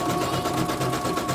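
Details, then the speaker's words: Embroidery machine sent in for repeated jamming and skipping bobbin-case hook, dynamo found dragging; test run after service: quick, even stitching about six beats a second, no knocks or catches; running smoothly. "Main mesin. Oke, ini kita tes ya. Suaranya juga halus."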